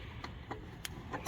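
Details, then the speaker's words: Mercedes L1116 flatbed truck hydraulic winch with rewired original control box and new waterproof 4-pin connector: crisp light ticks, four or five in about 1.5 seconds, as the winch solenoids click normally. "and you can hear the solenoids clicking up there on the winch. So pretty excited about that."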